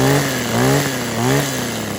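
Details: Kawasaki KHT600D hedge trimmer two-stroke after new fuel lines, primer bulb, fuel cap, grommet and tune-up, started primed with choke on: buzzing with steady even beat and gentle speed swings, no misfire; started right up, runs healthy.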